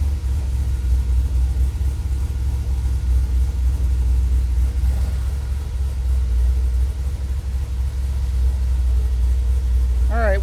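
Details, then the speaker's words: Dodge truck with Holley Sniper EFI, warm idle: low heavy rumble with slow rise and fall in engine speed; IAC idle surging since day one, persisting after ferrite chokes, rerouted wiring and ground checks, cause unknown. "this is what it's been doing and i can't figure it out i'm glad i caught it on camera look at that this thing's crazy"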